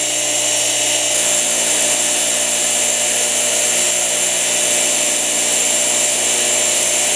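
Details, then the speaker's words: Motor rebuilt from junk donor parts, run on high speed after low speed, with a junk front bearing that sounded poor at low speed: steady, even high-pitched hum with no knocks or grinding; runs smooth. "runs on high speed. These do sometimes torque a lot on high speed. I'm just going to hold it. Wow. Don't sound bad at all."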